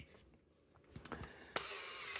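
A few sharp clicks, then a crisp snap followed by a short buzzing motor whir under a second long; a normal shutter release and film wind.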